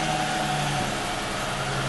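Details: Car that cranked but wouldn't start (dead battery, no fuel pressure) now idles smoothly after repair, with a steady low hum and no knocks or misfires.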